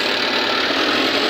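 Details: Volvo 210D diesel running after a won't-start problem traced to the fuel sensor. Short, even, steady run with no knocks or misses; idling normally.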